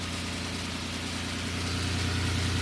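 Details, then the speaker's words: Normal idle of a 1997 Lamborghini Diablo VT Roadster after fixing starting issues by adding backup grounds to the fuse box; smooth, even idle with a steady low drone and no misses, knocks or ticks. "Yeah, so now it starts up really good now."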